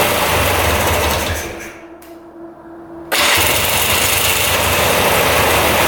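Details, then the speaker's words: 2002 Polaris Scrambler 400 4x4 ATV restarted after running about 10 minutes; restarts instantly and holds a quick steady single-cylinder idle with no misses or stumbles; running as it should. "all right that's stting like it should so I think we can put everything back together"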